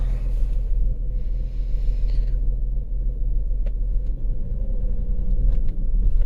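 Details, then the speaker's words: 2008 Volkswagen Passat 3.6 GDI with codes P0087 fuel rail pressure too low and P2296 regulator valve N276 short to plus, started on a jump pack: lumpy, uneven stumbling rumble, rough-running misfire from low fuel rail pressure. "oh we can't even give a guess it seems like not going to carry on do we even have gas yeah this thing does not want to run good at all"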